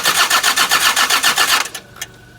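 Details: Land Rover Td5 diesel: starter spins the engine briskly at about seven compression beats a second for under two seconds, but it never fires; cranks, no start.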